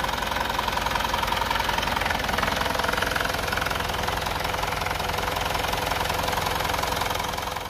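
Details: Mitsubishi Outlander diesel at idle after the cracked exhaust manifold was found and a repair left to set before refilling the oil: steady, even clatter with no rattle or knock on top, sounding smooth and healthy.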